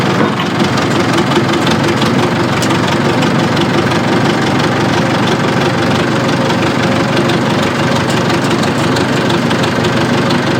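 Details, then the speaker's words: Old diesel bulldozer used for pond cleanout idles with a lumpy, uneven beat and a gap in the firing rhythm; it is missing and running on only three cylinders, with no power in first gear, cause not found. "it almost sounds like it's missing on one cylinder actually I know it is but I don't see anything telling me that it should be what the hell man that ain't right man it's only running on three cylinders"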